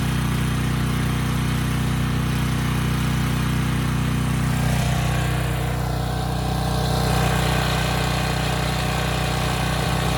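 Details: Briggs and Stratton Storm Responder generator, bought as parts machine, as a 3,000 watt load comes on; steady, even drone settles slightly and holds speed, no misses or hunting; normal running under load.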